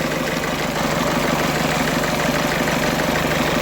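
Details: 2008 Ford Fiesta van 1.6 diesel after crank-no-start and P0698 reference voltage code; code still present and battery nearly flat. Steady, even idle clatter with no misses or stumbles. Normal idle.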